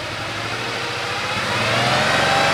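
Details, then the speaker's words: Porsche 911 Carrera, first start after an engine teardown and cylinder head rebuild, after swapping the crank and reference-mark sensors: uneven, lumpy running as revs rise, misfiring on one cylinder because the clogged number 5 injector isn't firing (no click on the stethoscope). "It's running, but it sounds like it's not running on all the cylinders. And I listened to the fuel injectors, and sure enough, number 5 is not firing."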